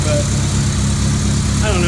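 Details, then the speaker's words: 2002 Honda Civic EX (EM2) before planned K24 swap, power steering deleted, exhaust now with a cat: low, lumpy idle with an uneven pulse under a steady drone, engine visibly shaking; rough idle, cause unknown. "let me show you the engine you can see it's shaking pretty good but"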